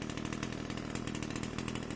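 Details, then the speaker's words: Pole saw small two-stroke after replacing a hard-starting carburetor with a new bolt-on carb: steady high-speed buzz, crisp and even, no stumbling or surging; now runs great after the carb swap. "runs great now I'm going to go try it out"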